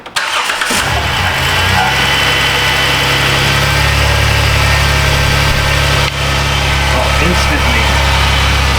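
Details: 2010 Dodge Grand Caravan 3.3, formerly bogging and stalling, starting after a used PCM replacement; fires instantly into a steady even idle with no stumble or misfire, O2 switching and closed loop reached at once.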